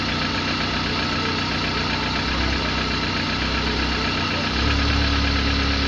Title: صوت مزعج ومحرك غير مستقر ...؟؟ قلة المعلومات يبعث فيديو ولا ينطق اي كلمة